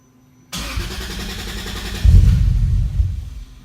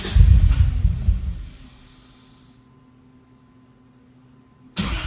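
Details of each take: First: Starter whirs briefly, engine catches cleanly within half a second, blips once and settles; first start of a 3-litre six after a fresh AEM Infinity 506 install with no calibration, idle motor not set up and wrong injectors; healthy normal start. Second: 3.0-litre six-cylinder engine on an AEM Infinity 506 ECU, first start after firmware update with no calibration: catches and flares, then sags and fades out twice without settling; unstable idle because idle motor isn't set up and injector data is wrong.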